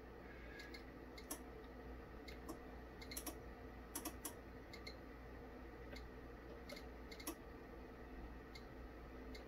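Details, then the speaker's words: Korad KA3305D dual 30V 5A bench power supply, channel 1 with no load: relays audibly click on and off, switching at about 6V, 11.5V and 22.5V; channel 2 failed while charging a 12V lead-acid battery at 14V 2A, cause unconfirmed. "i don't know if you can hear that on there the relays are switching it off and on and they generally click in at about six volts 11 and a half and then 22.5"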